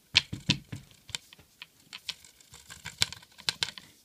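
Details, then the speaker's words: Loose inner fibreglass reinforcing rod rattling, light uneven clicking, against the pipe wall as a 40 lb fibreglass-reinforced PVC longbow is shaken; rod end not taped, and taping it would stop it slapping inside the bow. "just hear it rattling a bit. Now that's the fiberglass pole in there rattling against the side of the bow."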